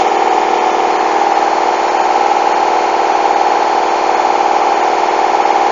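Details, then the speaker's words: Hoover washing machine, coloureds 40°C bedding load, final spin speeding up toward 1400 rpm: loud fast whirring with a rough thump about four times a second, machine shaking dangerously; very unbalanced load. "Whoa! That is dangerous! Look at that! Listen to that! It's shaking!"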